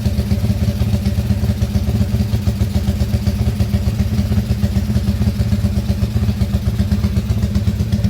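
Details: Motorcycle engine rebuilt under warranty after failure (crankcase repaired), just started and still tight for break-in: tight, even single-cylinder putter at idle, about four beats a second, no clatter or knock. Smooth.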